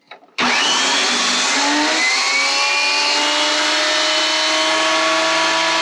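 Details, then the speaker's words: Old Delta thickness planer after repairing a dust-clogged power switch: spins up to a loud whirr with a slightly rough, uneven edge; owner suspects worn bearings, unconfirmed. "go there you go so that's working um sounds like i might need to pull this guy apart too and maybe check some of the bearings it sounded kind of rough"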